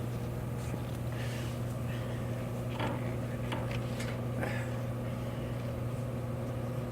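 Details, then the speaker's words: K&S 973 substrate cleaning system's air-driven pump, CO2-fed for deionized water, running under pressure set to its 2,000 maximum (adjustable by knob): steady low hum with busy hiss, a fairly noisy but normal pump. "you'll hear the puppets are fairly noisy pump because of the pressure involved I have it set to go up to 2,000 that is the maximum parser that you should have this set for"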